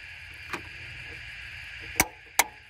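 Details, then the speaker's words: NC Fairlane / EB Falcon A/C: compressor clutch pulled in with power applied, sharp metallic clicks over a steady running hum; the clutch engages properly. "Pull the clutch in. Right. So I know the clutch is working."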